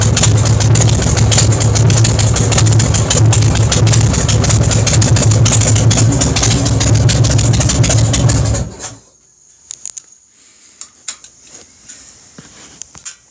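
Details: Big Dog Ridgeback motorcycle V-twin with compression releases: loud, lumpy idle with even firing pulses about four per second, then a clean shutoff; normal healthy idle.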